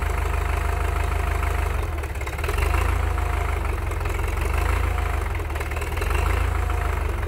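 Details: Belarus MTZ-82 water-cooled diesel tractor idling after cold start at about -25°C (-13°F) overnight: deep, heavy idle with steady low throb and rough clatter; hydraulic oil is cold, needs a block heater too.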